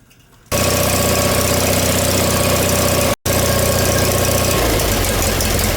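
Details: John Deere 318 twin engine just reinstalled with reworked manifold (previously surging), new plugs, wires and oil, shrouds off: even twin-cylinder putter starts, dips briefly, settles to smooth idle; running good, normal idle.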